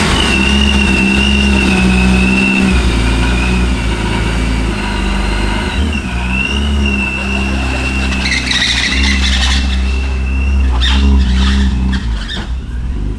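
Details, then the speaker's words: Boosted BMW E36 on first drive, crawling across a parking lot: steady high boost whine, but the exhaust note wavers and stumbles under light load; running far too rich, AFRs ridiculous. "that was weird yeah it definitely has way too much feel in it yeah you could smell it it's not horrible"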